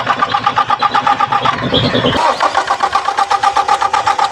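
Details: 2017 Toyota Fortuner diesel cranking with strong diesel pulses confirmed at the injector pipe: steady cranking at about four beats a second that never catches; immobilizer fault suspected.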